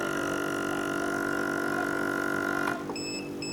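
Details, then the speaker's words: Aqua Zonic Trooper 88000 AC/DC air pump running on low setting (slower, lasts over 8 hours on battery): steady low hum, soft even buzz, faint pulsing, no rattle or strain; normal. "Ni boleh jalan, pakai low, high boleh pilih. Kalau low dia slow sikit."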